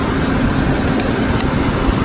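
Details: Car at idle just after a jump start from a Clore JNC770R Jump N Carry on a dead battery: a loud, steady drone with a faint constant tone over the engine; the AC compressor is noisy, cause not determined.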